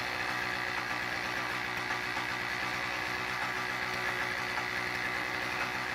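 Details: Toro CCR2000 single-stage snowblower, 2-stroke 4.5hp Suzuki engine with Mikuni carb, after carb cleaning (it previously ran poorly): small two-stroke buzzing fast and even with steady crackle, no misses or surging; running properly.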